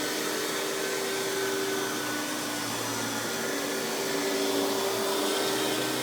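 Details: Hoover PowerMax Supreme 850 S3609 canister vacuum from the 1990s, hose sourced from another canister, running on high speed with power brush on: steady even motor whine, brush roll spinning smoothly, no rattles or surges; runs very smooth, normal running though not the quietest.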